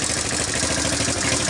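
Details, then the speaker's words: Revived Sunl 110cc ATV, just started outdoors in wind after fuel system work: a small single cylinder ticking over evenly under wind hiss, with no misses or surging. It idles normally. "it seems to sit there and idle well"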